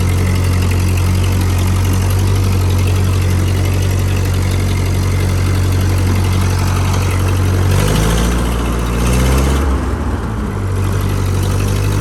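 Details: 1949 Ford 8N tractor four-cylinder, about 23 hp, 12-volt conversion, oil not yet changed, driving in first gear: a steady, low, even thrum with a brief pitch change as the throttle shifts, running smoothly and healthy.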